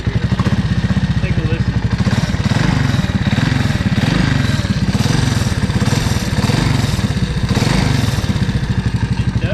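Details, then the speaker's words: Honda ATC 200S single-cylinder at idle with throttle blips: a light ticking rattle that swells with revs, seeming to come from the clutch-cover side; timing chain adjusted, top end and piston fine; owner suspects the CDI. "that I can think of is a CDI um maybe this is making some noise in it"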